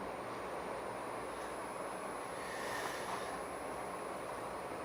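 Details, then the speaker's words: Vintage Silkon 48-inch ceiling fan running on high gives a steady, rough rumbling roar from its motor bearings; bearing roar. "Hear them bearings roaring in that one."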